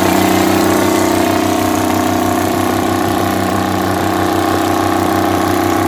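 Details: 60-year-old Massey Ferguson 98 tractor with Detroit Diesel GM 3-71 two-stroke after restoration: steady even drone with constant low hum, no knocks or misses; healthy.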